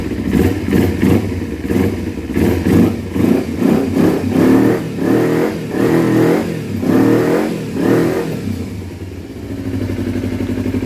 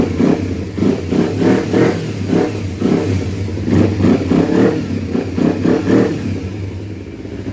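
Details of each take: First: 2012 Kawasaki Ninja 250R twin after carb install, throttle cable unhooked, carb tapped open by hand: quick blips flaring and dropping fast. Owner suspects too much air because the airbox is not fully connected; water still coming from the exhaust. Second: 2012 Kawasaki Ninja 250R after carb install, airbox not yet properly reconnected: crisp throttle blips about three a second, rising and falling cleanly with no misfire, pop or clatter; sounds really healthy, no fuel leak.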